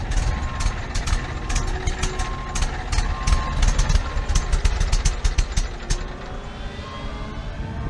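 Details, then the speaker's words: Tiny car found at a Copart salvage yard, started with its key: uneven, stumbling firing with irregular pops that weaken and die away; sputtered and stalled, tank looks empty, apparently out of fuel. "Sounds like it's out of gas, just sputtered and died."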